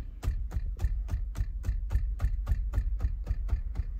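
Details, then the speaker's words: Toyota Prius cabin at low speed on the electric motor: light dull taps about three or four a second, a small vibration from the instrument panel, suspected loose harness or cable. "você tá andando no motor elétrico principalmente em baixa velocidade e o carro não faz barulho nenhum e você escuta isso aqui ó tá vendo essa pequena vibração inha alguma coisa vibrando"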